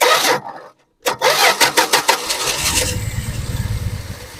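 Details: 1974 Dodge Dart Swinger that sat a while, fuel slow to come up from the tank: stuttering crank, a gap, uneven cranking bursts, then it catches into a rough idle; owner suspects sticking starter Bendix or missing flywheel tooth. Extended cranking before starting.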